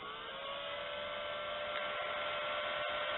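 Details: Mighty Cool K2 space cooler on its highest speed, drawing about 70–80 W from a 100 W solar panel and Optima battery: steady whirring fan tone that climbs slightly and settles, no rubbing or rattle, normal high-speed running.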